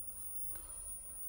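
A faint, thin high-pitched whistle holds steady over a low hum, the usual line whistle of a set running on 405 lines.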